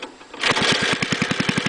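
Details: Go-kart engine, governor wound up then full throttle: it revs into a choppy, pulsing beat instead of a clean rise, stuttering and missing; owner thinks it may clear up as it runs.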